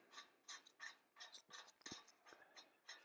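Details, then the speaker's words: 1990s Shimano 105 three-piece bottom bracket, spindle turned by hand before an overhaul: quiet dry crunching in short bursts about three a second, gritty, rough bearings. "kind of feel it give oh he the all grindy crunchy going on you hear that"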